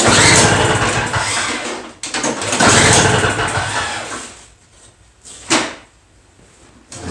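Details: Two-stroke Toro snow blower that won't start: after a new spark plug, choke pulled and a couple of primer pumps, repeated pull-start cranking bursts die away without catching.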